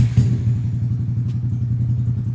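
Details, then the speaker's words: Honda Grom small single-cylinder at idle after priming the fuel pump: even, steady low thump with no ticking or rattles; normal healthy idle. "let's hear the engine right boy it's a really nice engine"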